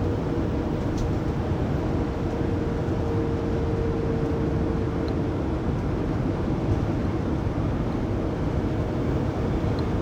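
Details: 2020 Pleasure Way Plateau FL (2019 Sprinter 3500XD), recorded in cabin by phone at 80–90 km/h after drive shaft and differential replacement: steady mid-pitched whine rising from road and wind roar for a few seconds; driveline whine.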